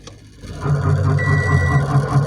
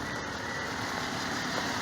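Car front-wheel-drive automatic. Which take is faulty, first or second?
first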